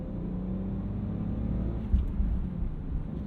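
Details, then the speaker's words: 2000 BMW E46 323i, 2.5 L inline-6, 5-speed manual, 364,000 miles, in-car binaural: steady drone broken by one dull thump at a gear change; rear-end clunk only when shifting, differential bushings suspected, unconfirmed. "I saw some that were like differential bushings and, you know, other things related to the differential area of the car. You only hear it clunking when you're shifting gears."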